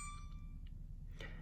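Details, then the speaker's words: Frigidaire oven dings every 30 seconds with no button pressed: single clear ding fading over low steady hum; owner suspects faulty display panel circuit board entering clock-change setting, not confirmed. "but something's going on with this display board and every 30 seconds it dings and"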